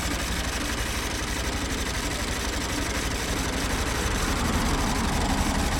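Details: 2016 Honda Bros 160 after the 6,000 km service, after a worn piston was replaced with original parts: idle with a rapid mechanical clatter about four beats a second over the exhaust, louder than before; internal engine noise, source undetermined.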